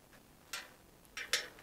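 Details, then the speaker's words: Truing a new rim on a 40-spoke 3-cross tandem wheel at low tension, microphone right next to it: sharp light ticks as the rim rubs the gauge on the right side; wheel out of true, fix by loosening right and tightening left spokes. "All right, so that's hitting on the right side. So we're gonna loosen a right spoke, tighten a left one."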